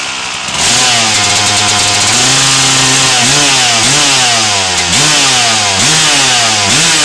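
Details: 1997 RM250 two-stroke started with choke on after its dented header pipe was repaired: fires at once into a crisp raspy idle, snaps up through sharp rev blips and settles cleanly; healthy engine.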